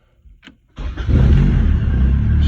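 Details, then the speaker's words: 1994 Honda Civic hatchback with a long-standing hard-start problem, just after lock cylinder replacement, fuel pump priming: after a brief click the engine catches instantly and settles into a strong, steady idle. Normal start. "starts right up good time"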